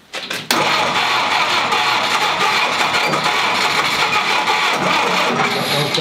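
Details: 1946 Willys CJ2A Jeep, first start attempt after five years of storage, choke set, Marvel Mystery Oil in cylinders: continuous harsh starter churning, no firing or catch; cranks but won't start.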